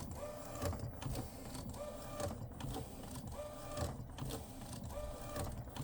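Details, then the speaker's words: Refurbished replacement Epson P906 printer, after a technician visit with no change: repeated print head carriage sweeps about every second and a half, each with a rough rattly grind, abnormal compared to another P900. "Definitely, I'm not sure where this comes from, but yeah, definitely abnormal compared to the other P900."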